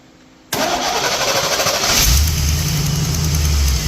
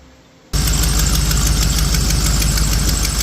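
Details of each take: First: 1982 Jeep CJ-7 with a 1987 GM 350 TBI 5.7L V8, after distributor replacement and electrical repairs: brief whirring crank, then it catches and runs steadily; an exhaust manifold gasket leak clicks and timing is still unset. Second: 1987 GM 350 TBI 5.7L V8 in a 1982 Jeep CJ-7, just restarted after distributor reinstall with timing not yet set, idles with a quick light ticking over the rumble from a leaking exhaust manifold gasket.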